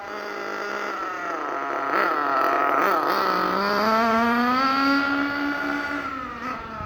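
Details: Thunder Tiger EB4 S2 nitro RC car with aftermarket exhaust, warming up after a cold-weather start: high-pitched scream that wavers with throttle, soft and burbly on pickup; owner suspects it is running slightly rich, tuning to be adjusted.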